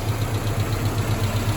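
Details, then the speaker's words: Mazda B2000 truck idling after a #2 rod knock repair: mixed standard and next-size-up bearing shells, Plastigauge within spec. Steady low idle pulse with an even rhythm, no clanging or knocking; engine sounds healthy. "I use plastic gauge to check all my work and uh everything came out within spec. It's not right. Okay. But it's not clanging around and getting worse."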